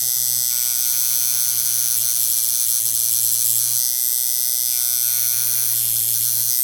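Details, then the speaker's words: Coil tattoo machine with a lengthened stroke, 90 Hz at 36% duty, at 8 volts: a loud, harsh, steady buzz that hits far too hard; it works but is overpowered. "I mean, it works, but it's too much."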